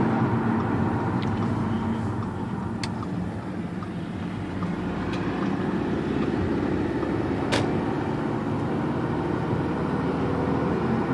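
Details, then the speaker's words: 2009 Audi A4 right after installing a street density transmission mount: sharp irregular clicks while turning, more apparent on left than right turns, none going straight, stopping or under semi-full throttle; CV axles suggested, unconfirmed. "sound is more apparent when I make left turn senators right turns"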